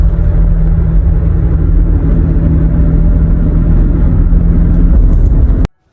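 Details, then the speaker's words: 2012 Toyota Highlander driving at about 40 mph: steady low droning hum over tire rumble while cruising, noise only above 38–39 mph; worn wheel bearing, checked by hub temperature reading. "okay so on this wheel bearing it was only making a sound above 38 39 miles an hour so 40 let's just call it 40 miles an hour"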